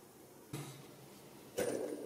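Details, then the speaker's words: Outboard two-stroke engine rebuild: crankshaft ball bearing rocked by hand gives two sharp metallic clinks, excessive play; bearing is dead, brinelled from seawater ingress past leaking seals. "Donc le roulement ici, il est mort. Vous avez à contrôler ce qu'on appelle le brinelage."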